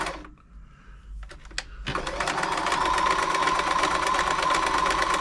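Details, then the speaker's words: Frister & Rossmann 904 sewing machine after servicing, running a stretch stitch: steady clatter near 167 beats per minute with a light extra clank from the back-and-forth fabric feed. Normal for this stitch. "it's always a bit more Clank here when you're doing stretch the mechanism that makes the fabric go back and forwards"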